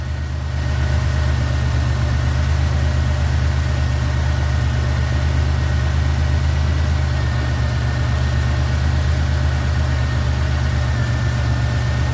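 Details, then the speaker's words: 1991 Buick LeSabre idling during R-12 to R-134a A/C retrofit while charging ester oil: steady low idle with faint whine, note shifting as A/C compressor load comes on; normal. "You hear the engine change? That means the air compressor is getting ready to kick on."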